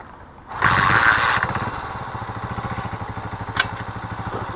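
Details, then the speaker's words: Carbureted motorcycle, cold morning start: settles into a steady, even idle around 1500 rpm, which is normal. Once warm, the revs climb on their own, most likely because the carburetor idle setting is misadjusted. "queda así, pues se queda a un rango de revoluciones, pues bueno, a 1500, o alrededor de 1500, que se puede decir que es normal."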